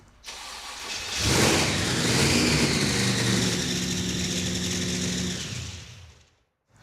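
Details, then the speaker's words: Blown, carbureted engine with gas pouring down one side of the blower: it catches and climbs to a fast idle of about 3,000 rpm that never settles. Vacuum leak suspected, none seen at a glance. "And for some reason, it wants to idle at 3,000 RPM. Seems like a vacuum leak."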